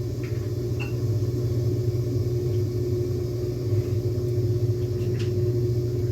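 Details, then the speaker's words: LG Turbo Drum washer with its basket removed: a steady motor hum with a faint whine and occasional clacking, but the damaged transmission doesn't drive; neither shaft nor drum turns, so no spin. "Obviamente esto se hace para ver mejor el funcionamiento, se escucha en el motor, pero como tal la transmisión no está trabajando, o sea, no está centrifugando."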